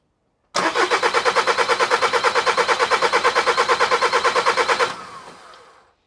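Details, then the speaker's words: VW Caddy Maxi 1.9 TDI PD diesel, even starter churn about three compressions a second for four seconds with no catch after injector seal work; long cranking while air purges from fuel system; owner fitted fuel primer as it used to crank long mornings. "He has even fitted a little fuel primer because it used to wang a bit in the mornings."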